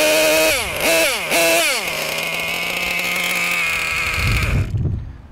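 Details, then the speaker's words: Losi LST XXL2 with Dynamite .31 cu in gasoline engine, setting carburettor needles before break-in: shrill small engine snaps through a few revs, then idle drops to a steady lower speed as the bottom (low-speed) needle is turned in. "So as you can see, when I reach in the bottom needle, the idle drop."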